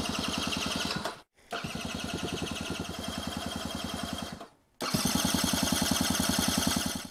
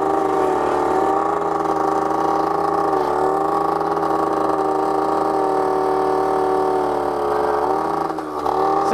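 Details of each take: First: 1980s Honda Gyro sat 10+ years, jump-started off a Nova: steady starter cranking about three and a half strokes a second with good compression, never catching; fuel starved, carburetor later rebuilt. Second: 1980s Honda Gyro two-stroke, sat 10+ years, after carburetor rebuild and fresh gas, excess oil finally cleared: buzzy note holds a steady pitch, dipping slightly as throttle eases; running clean and even.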